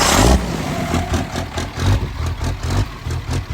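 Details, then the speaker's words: 1700 hp twin-turbo 3rd Gen Cummins drag truck after plugging the rail pressure sensor back into its standalone harness, third start: deep, even diesel pulses rising and falling cleanly on throttle blips with no misfire; much better, running healthy. "Wow! That's way better. Way better. That's way better."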